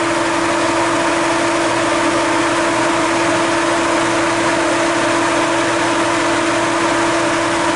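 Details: Foxbody Mustang with adjustable electric cooling fan and drilled thermostat (thought to be 160°), fan being set to switch on around 170: steady, even idle with constant low drone and no fan roar on top; normal idle.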